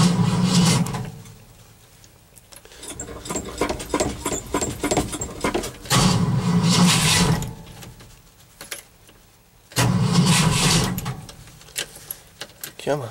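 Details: Cold start after an overnight low of -11 and 0 at start: repeated slow, labored cranking bursts of a couple of seconds each with no firing; the owner thinks he flooded it and the battery may be weak.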